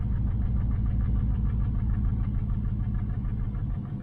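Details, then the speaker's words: 1968 Nomad with side pipes, misfire since day one on one bank, hard to notice at high idle or higher rpm; plugs, coils, wires and injectors on that side already checked: low idle with uneven lope and occasional stumble. "it's coming from this side here uh you can hear it CU I got side pipes on it so it sounds even on that side on this side it's just kind of a miss"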